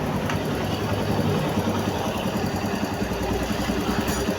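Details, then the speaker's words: Barako motorcycle after engine refresh with rebored block, done because it smoked and used oil: low, even idle rumble with no tapping or knocking. Engine now quiet, unlike when it arrived. "tahimik na yung kanyang makina. Hindi na siya maingay katulad ng isang araw na unang dumating dito."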